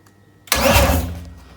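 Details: M52B28 engine newly swapped into a BMW E30, first start attempt: silence, then a short sharp starter whirr spinning freely for under a second and fading; starter now engages normally, which it did not before.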